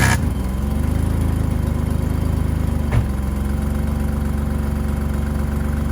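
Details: 1985 BMW 535i E28 M30 engine, cold start at 19°F after sitting for months; settles into a steady low idle with a faint puffing tick from a pre-existing exhaust leak at the header-to-catalytic-converter joint.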